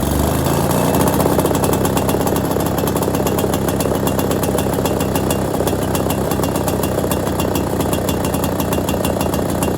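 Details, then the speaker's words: Ner-A-Car single-cylinder engine after rebuild, first start with choke and throttle: rapid, even exhaust beat, crisp regular firing, no misses or knocks; normal running. "well I think I think that's a success isn't it my throttle starts to wiggle around there um well it worked who would have thought"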